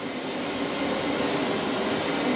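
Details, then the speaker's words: Diesel heater in a Fiat Ducato camper conversion on its first burn, warm air coming through as it heats at full power; steady even rushing roar with no surging or popping, burning cleanly at full output. "show you the heater warming up pretty much fan speed is kicking up two two lights on that bit"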